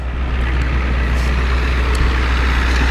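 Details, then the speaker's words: 1993 Ford E350/E450 box truck, 7.3 IDI diesel: deep steady diesel rumble with even clatter, no knocks or misses, no smoke; healthy idle, runs like an IDI. "It sounds like an IDI, it runs like an IDI, and it's gonna run forever."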